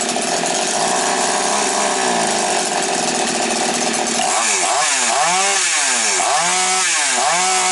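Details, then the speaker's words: Chainsaw after repair of surging RPM and hesitation, with the carburetor richened: revs high and steady, then pulls down and recovers evenly under cutting load, working well. "Ну, бачите, працює добре."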